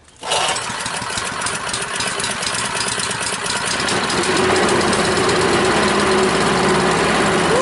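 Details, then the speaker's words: Honda small engine on a water pump, no-start fixed by cleaning a clogged float-bowl jet in the carburetor (fuel shut-off valve still leaks): catches after a short crank and settles into a steady, even run; running normally. "Well, that's why it wasn't running. The jet was clogged up in the float bowl."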